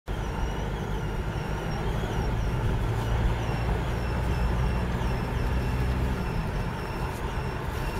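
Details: 2004 Passat 1.9 PD TDI, cold, rolling (also in neutral), windows down: faint chirpy squeak over road noise, unaffected by rpm, stops below 1 mph; exhaust gases whistling through cracked flexible exhaust section next to catalytic converter.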